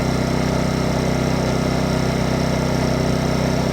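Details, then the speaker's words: Champion 2500 W dual-fuel inverter generator, brand new, first start, just taken out of eco mode: smooth constant hum with even low pulse about four beats a second, no hunting or stumbling; normal idle. "Started right up though, pretty good."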